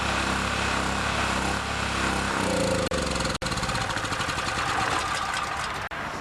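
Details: Chinese Honda-clone generator after many months in storage, started cold on choke: steady, even engine chatter at constant speed with no hunting or misses; normal running.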